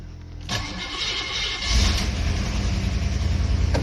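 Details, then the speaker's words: Cadillac hearse, first start in about 5 weeks, on a busy road: brief crank, then it catches at once and settles into a steady even idle; a normal start. "There you go. That's it. Started. It's a Cadillac, baby."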